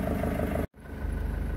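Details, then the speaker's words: Isuzu 4JX1 diesel (Holden Jackaroo/Isuzu Bighorn/Opel Monterey) with throttle plate butterfly deleted, at idle, heard at the snorkel: steady low clatter with pronounced intake roar, louder because no partly shut butterfly suppresses noise. "one other thing i've noticed is at idle it's also a lot more noisier through the uh intake manifold on the snorkel up here because we haven't got the throttle plate plate butterfly uh shut partially suppressing the noise bounce back through here"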